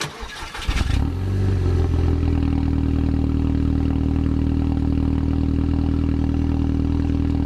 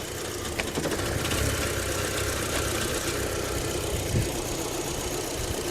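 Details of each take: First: High-mileage (157,500) Mk2 Audi TT petrol engine, just started with water added as coolant, mic near engine, dash covered in warning lights: cranks, catches, settles into low idle with faint, slightly uneven stumble, slight misfire. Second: Mk2 Audi TT, high mileage, idling smoothly with no shunting or hunting once the airflow meter is unplugged; plugged back in it hunts, so the airflow sensor is suspected faulty.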